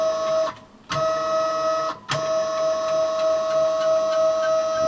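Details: New Kami FKM 350 PL machine: a steady mid-pitched whine sounds while the Y axis travels, dropping out in pauses between moves. Owner added more oil; cause undetermined.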